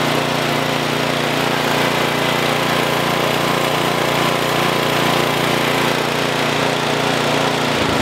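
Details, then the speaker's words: 1973 Simplicity 738 riding mower, unused about two years, after a tune-up and carburetor needle adjustment. It previously died at low throttle, starved of fuel. Now the low-throttle idle holds steady and even without dying or surging, then speed drops off at the end. Normal idle. "whenever I went and put the throttle in the low position and was just cut off it would just die it wasn't getting enough fuel so I have it in the low position right now it's actually idling"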